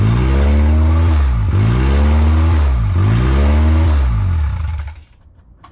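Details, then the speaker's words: Built Honda K20A2 first start, very loud; alternator charging about 14 V; revs rise and fall in a steady cycle about every 1.5 s, then shuts off; surging idle. "but uh the car turns on um it's surging idle"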